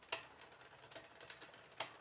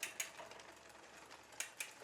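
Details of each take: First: Poseidon Triton road bike during build, rear derailleur upper pulley pushed too far inboard via barrel adjuster, out of plane with cog: sharp, uneven ticks every half second from drivetrain; chain ticking from misaligned rear derailleur. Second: New Poseidon Triton road bike build, front derailleur in small chainring and small cog, first adjustment: quiet drivetrain with a couple of light scrapes per pedal turn; slight chain rub on the outer cage plate, position judged good.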